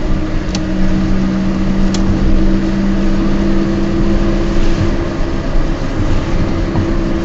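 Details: Peugeot 206 while driving: a steady low droning hum under the road noise, holding pitch through the run; the owner says the wheel bearings are bad, but this is not confirmed.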